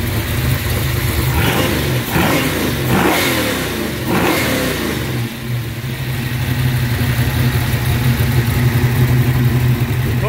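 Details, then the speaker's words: 1963 Chevrolet Impala 468 V8 that kept cutting out, after removing restrictive paper air cleaner elements: revs cleanly in several blips, then settles to a steady even idle without stumbling; running healthy. "so i guess those breather uh choking out way too much i might have put something else on it it's like trying to breathe a cotton stuffed up your nose in your mouth i mean how that sounds a lot better"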